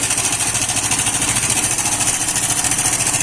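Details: Hero iSmart 110 motorcycle engine at idle: busy metallic clatter about three beats a second over a steady small-engine idle, from a slack timing chain needing a timing chain kit.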